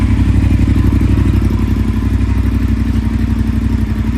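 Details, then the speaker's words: Triumph Thruxton 1200R twin idling after new exhaust gaskets, open exhaust, decat and a DNA air filter: deep, even, throaty throb about four pulses a second, no ticking or rasp. Normal idle. "Nice deep throaty noise, or nice deep throaty sound to it. You can kind of feel it in your chest, but not harsh or raspy like with the slash buds."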